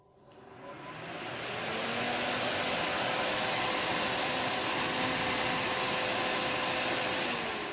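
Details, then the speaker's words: 40 W AC brushless box fan, 172 x 150 mm, possibly around 100 CFM, running: smooth steady whoosh with a soft even hum, no ticking or rubbing; not very loud, quiet and healthy. "one like this might move a hundred CFM as we can hear it was not tremendously loud"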